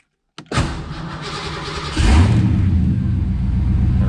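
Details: Ford Foxbody after removing an old aftermarket alarm, keeping a fuel pump kill switch: brief crank, engine catches quickly and settles into steady low idle with no misses or knocks; clean healthy start.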